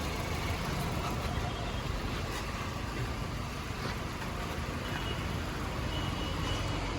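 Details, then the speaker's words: New-model Maruti WagonR, engine misfiring and jerky with heavy shivering when revved: uneven stumbling note with irregular dips at rough idle; misfire attributed to dirty throttle body. "ഈ കാറിന്റെ engine ഇപ്പോൾ നിലവിൽ missing ആണ് ഈ വണ്ടി ജർക്കിയാണ്"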